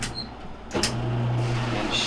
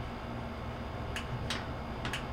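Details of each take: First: Whirlpool LSQ7030LQ0 washer that won't spin or drain, set to spin: no click when the lid closes; pressing the lid switch plunger by hand gives a sharp click and the motor hums and runs steadily, confirming a bad lid switch (part 3949247) needing replacement. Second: Whirlpool LSQ7030LQ0 washer that would not spin or drain, after installing new lid switch 3949247: a few sharp clicks in quiet room as lid closes; new switch making contact properly.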